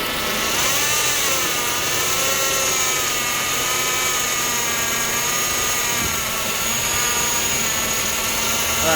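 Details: Acura TSX at cold start: a warbling whine and hissy sucking over idle as the power steering pump draws in air; advised to replace the pump O-rings and clamps.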